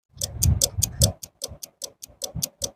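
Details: 4KVA AC voltage stabilizer set at 157 V input, 167 V output: fast, even clicking about five times a second from a stuck, internally shorted relay chattering; tapping the relay stops the noise.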